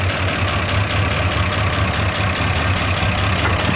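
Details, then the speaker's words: Jeep J20 started after an alternator replacement, idling with the alternator then disconnected: steady low, even idle with a light uneven rumble and no knocks; idle changes slightly as the battery is no longer charged. "still runs. You can hear the idle change because it's not charging the battery right now."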